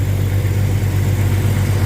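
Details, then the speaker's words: 1998 Jeep Grand Cherokee 4.0 inline six, 42RE automatic, about 470,000 miles, just started at idle: deep steady hum with even beat, no knocks, ticks or misses; runs smoothly and healthy. "And there we go. Sounds great for almost 500,000 miles, doesn't it? You would not think that this engine has 500k on it."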